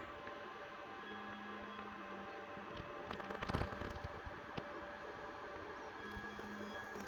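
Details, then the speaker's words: Creality LD-002R resin 3D printer running Anycubic 405nm clear resin after firmware update: quiet stretches while the UV light cures each layer, broken by soft even motor hum as the platform moves between layers; normal printing cycle. "so when the device is silent then the light turns on now it's curing now it's preparing the next layer now it's curing it again it's solidifying it liquid into solid again"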